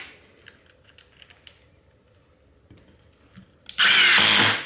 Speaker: and you can hear that impact kick in as soon as it starts sensing resistance